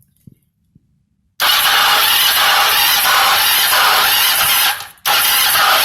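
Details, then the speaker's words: 1996 Kawasaki Ninja EX500 after a cylinder head gasket and water pump cover replacement, with timing redone but owner unsure it is correct: the starter cranks with a harsh, steady scraping that seems to come from inside the engine and stops it turning over fully; no start. "it sounds like I want to start but it's a scraping noise that like stops it from trying to turn all the way over fully"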